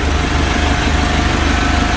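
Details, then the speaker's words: Boat engine started from the battery bank after the steering repair; low, steady idle with evenly spaced firing pulses, no stumbles or knocks. Owner suspects a fuse he blew earlier caused the start problems. Normal idle. "Okay, we got the engine started."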